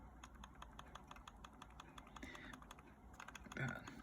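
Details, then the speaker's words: Razer Viper Ultimate mouse with light plastic clicks and rattles when shaken, like a loose part tapping inside. The owner suspects a loose sensor; the left and right click buttons had also stopped working. "I originally have the issue of left and right click button it's not speaking anymore but I just want to keep this for a record it has a rattling noise inside"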